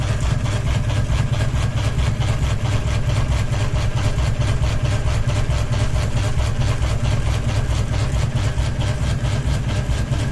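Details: Ceiling fan running with one blade and a ball hanging off it, low even thump about twice a second as the heavily unbalanced rotor wobbles the whole fan on its mount; blade imbalance wobble.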